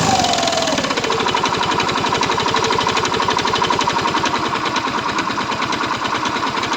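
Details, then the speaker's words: Yamaha Mio Soul i 125 scooter, owner blamed the pulley, drive face and back plate, but noise persists after fitting them: fast, rough metallic knocking from the engine, a worn connecting rod. "Sira po niyan ay connecting rod mga kaibigan. Okay? Hindi po panggilid or pulley back plate bola an pag ganyan ang ingay mga kaibigan. Connecting rod na yan."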